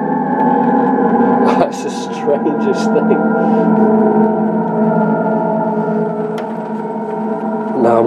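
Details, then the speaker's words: Mattel Optigan Model 35011 organ after preamp repair, power amp still unfixed so only one speaker/channel: pedal down, reverb off, balance turned right, steady eerie sustained drone with no keys pressed; signal apparently bleeding into the never-working second channel, cause unconfirmed. "sure because the second channel was never working I've never to do that for so it sounds like something is bleeding"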